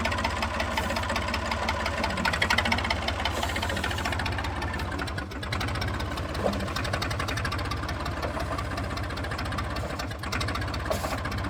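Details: Massey 2500 forklift with a Perkins AD3 152 diesel, sat many years, quit with a suspected fuel issue, now restarted. Loud, even diesel clatter at a steady idle with no muffler; firing stays regular with no misses or knocks, so it is healthy.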